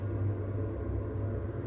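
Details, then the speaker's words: Potterton 28HE combi boiler after fixing the 3-way valve drive motor's broken spring that caused a central heating fault: ignition, pump running, steady even hum with no cycling or shutdown as the temperature rises. "Okay, so that sounds like the, so we have ignition, pump stepped in, watching the thermostat rise."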